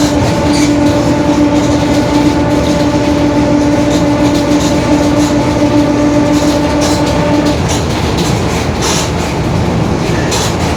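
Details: Marcopolo Torino S bus, 2021, Mercedes-Benz OF-1721 BlueTec 5 chassis, lengthened, urban service; steady low hum with a constant-pitch drone while driving, fading off the throttle; growling rear differential.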